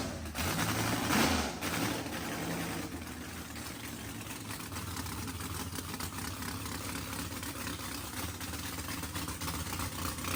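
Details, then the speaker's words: Mississippi Queen after first start following fluids, oil change, plugs and fuel flush; exhaust looked to have been full of water. Even, settled idle with a steady low rumble, no knocking or misfire after the first seconds. Healthy; needs throttle blade, fuel pressure sensor erratic. "sounds healthy. That's good."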